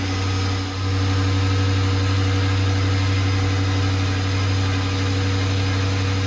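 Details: 5.7 HEMI on E85 with Hellcat supercharger and smaller pulley, first start after install: steady deep V8 idle with constant high-pitched supercharger whine on top, prominent due to the smaller pulley; normal, healthy idle.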